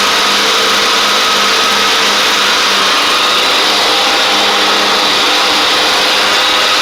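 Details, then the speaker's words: Craftsman DYT4000 riding mower, dragged out of the woods after sitting, now with new tank grommet, shutoff switch and blades: steady even high-pitched run, no misses or knocks, slight deck whine; it started, ran, drove and cut. Normal running. "this thing started up ran drove and cut which is pretty impressive for how for I literally drug this thing out of the woods at this other guy's house where he had it sitting at"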